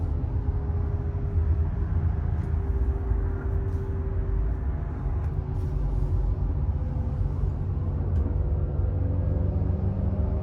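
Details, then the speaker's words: 2019 Subaru WRX STI on Michelin Pilot Sport 4S tires: buzzing drone above 60 mph, pitch rising with speed, faint hum over road rumble; owner suspects a rear wheel bearing, later replaced by the dealer. "so you can hear that buzzing drone happens as soon as I get above 60 miles an hour and it's most likely a wheel bearing and I think it's coming from the back of the car"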